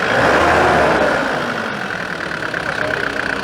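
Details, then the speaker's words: 1993 Nissan Terrano diesel being repaired for hard starting: a rough, slow idle whose beat sags and weakens; the idle is set too low, so it dies off throttle. "pagka ditoo ng idle pagka ganito naka pring na siya patay Okay sige mababa"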